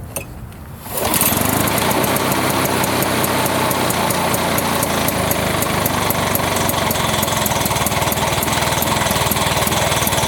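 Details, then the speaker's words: 1980s Lawn-Boy two-stroke mower, ran out of fuel and wouldn't run, after cleaning, started by pull with gas/transmission-fluid mix in the combustion chamber: catches into fast, busy rattle with uneven firing; left on choke, running rich and wanting to stall until choke off. "you could see this throttling when I first started I had it on choke and I left it on choke and it it wanted to stall but then I realized you know pull the choke off"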